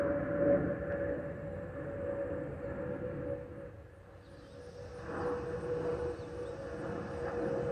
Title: Delta Airlines Airbus A320-212 N364NW DL1468 MIA-DTW (FOPP Whistling Sound)